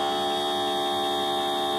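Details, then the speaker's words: Printer head/cartridge service vacuum machine with upgraded box cleaner, restarted on head number two with other nozzles capped airtight: steady even electric hum, fixed pitch, no knocks, rattles or surging; normal running during head cleaning. "sama ini nah ini proses pembersihan oke nah Ini kita bisa pindah lagi pindah lagi sesuai kebutuhan"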